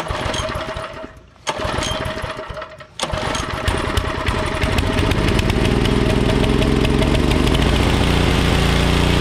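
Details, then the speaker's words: Troy-Bilt Pony rear-tine tiller, 5 hp Briggs & Stratton, unused a few years and running only on primed fuel (dirty carb suspected): after cleaning the carb and clearing the main jet with copper wire, it sputters, then settles into a steady, even run. "I think cleaning that jet out with that copper wire was the winning ticket we'll see what happens"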